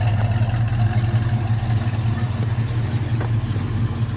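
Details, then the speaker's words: 1970 Ford Mustang fastback V8 with headers and dual exhaust: deep steady burble at idle with slight revs; exhaust sounds even and healthy, good oil pressure. "got a nice sounding uh dual exhaust system with the headers you can hear it sound sounds real"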